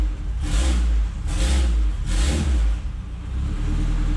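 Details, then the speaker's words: Toyota MR2 with K20 engine swap, first start, run briefly in the garage: three quick, clean throttle blips rising and falling smoothly, no knocks or misses; starts and sounds nice and quiet. "All right, guys, this thing sounds good. Nice and quiet. All right, so we are started. It does start. It sounds good."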